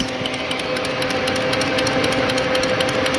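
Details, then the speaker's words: Water-damaged Fiat Stilo Abarth, ignition on, engine off, immobilizer light flashing: fast even ticking about four per second from the throttle body with faint hum; owner suspects defective ECU. "the throttle body is making a ticking noise. I had the same on my Schumacher, and the reason why it's doing this is because the ECU is bad."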